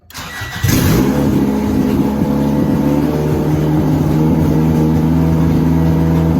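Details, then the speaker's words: Honda DC2 Integra after a fuel line fix, fuel pump primed, header not yet fitted. A short crank catches first try and settles into a steady idle after a quick rise, a normal start. "so right now there is fuel in the motor so i should be able to just crank it and it should turn on the first crank"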